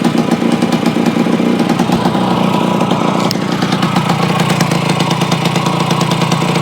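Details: Yamaha AT-1 converted to CT-1 two-stroke, first start after rebuild with wiring mostly done, oil pump primed, carburetor problems fixed, choke on, pre-mix plus oil pump: crisp steady crackle, even firing, clean pickup, no misses or knocks; normal running.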